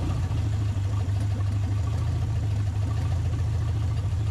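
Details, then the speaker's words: 1980 Camaro V8, first run in over ten years on a used carburetor: a low idle that gently swells and dips about every second. The carburetor may be dirty inside and the timing slightly off; unconfirmed. "Got a little bit of a surge going on, huh?"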